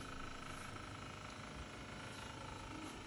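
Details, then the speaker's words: Fridge/freezer making a loud, rough, tractor-like rumble from the freezer compartment fan, with the blade scraping against ice. "basically the noise sounds like a tractor or something like the fan kit somewhere"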